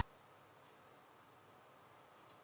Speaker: And then when we go ahead and apply 12 volts, after a short delay, we'll hear a clack and we'll know that we are working.